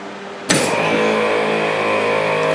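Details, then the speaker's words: Twin ARB onboard air compressor on an overland Jeep, kicking on to pressurize an air hose plugged in at the rear: sudden start into a steady high buzzing hum with even motor whine, running normally. "the pump will kick on to pressurize the hose"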